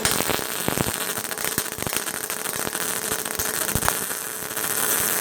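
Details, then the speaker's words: MIG welder on sheet metal, heat setting 2, wire speed at 80: harsh, uneven crackle with irregular pops, described as air interference in the wire from feeding too fast. "can hear air interference in the wire."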